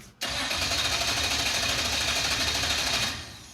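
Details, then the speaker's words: Mazda minitruck with mid-engine swapped drivetrain (Mazdarati 2.0), first start attempt with laptop logging live: starter spins steadily about three seconds with no firing; ECU shows no fuel pressure because the fuel pump isn't running, ungrounded. "Does it show fuel pressure? It's telling me we don't have fuel pressure. Well, yeah, the pump's not running."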